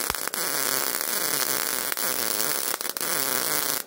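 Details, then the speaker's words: MIG welding thin auto body sheet metal, voltage raised to setting four: rough, uneven arc crackle with several sharp pops instead of a smooth sizzle, narrow piled-up bead; voltage still too low for the wire speed. "Increasing the voltage really helped. But you can still hear popping. The arc sound is inconsistent. Wellbe is narrow and piling up. The voltage is still too low."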